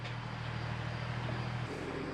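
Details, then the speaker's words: A big tractor hauling a load of hay up a steep hill drones with a deep, low diesel note that sags and drops in pitch as it bogs down; the engine is lugging and the tractor needs to drop a couple of gears. "Art's getting up there you can hear it bogging down that big tractor is going to have to drop a couple of Gears to get up there"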